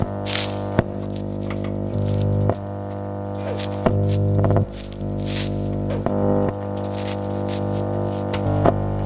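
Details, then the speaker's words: Modified (hacked) audio amplifier: steady low mains hum drone under the music, present even with volume turned down, with occasional clicks and knocks. "nah seperti itulah hasil suara Hai menghasilkan sebuah amplifier yang sudah dimodifikasi untuk di bagian hasil suaranya disaat kita mengangkat volume menimbulkan suara dengungan bahkan dimatikan volume juga ada menimbulkan suara dengungan walaupun dengungan itu tidak terlalu besar"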